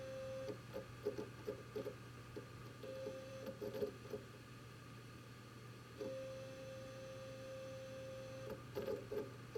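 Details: WD Red Pro drive in a Synology DS918+ NAS giving short mid-pitched beeps in uneven clusters, then one long steady tone over a faint hum; hard drive beeping, cause unknown.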